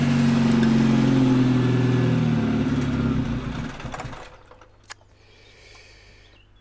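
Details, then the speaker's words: V2 generator/cogeneration unit on test run with heat exchanger connected: steady engine drone sags and fades then cuts out; fuel supply problem, gas setting turned up afterward and running improved. "have a problem with fuel I'll try to set it to the position that it is Górki, so it should have more"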